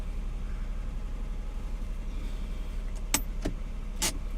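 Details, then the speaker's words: 1992 Acura NSX, about 9,940 miles, cold engine just started: steady, even idle hum around 1,400 rpm with no knocks or misses, fast only because it is cold; normal cold fast idle. "so all the lights have cleared off the RPM is high right now it's this around 1,400 the engine is cold so typically the idle does seem to be a little higher when it runs cold"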